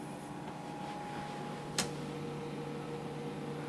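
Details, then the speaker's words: IBM PS/2 Model 80 started after months in storage: only fan hum and a faint click, no hard drive spin-up. Owner suspects stiction or a loose cable. "I only hear the fans going that's not good"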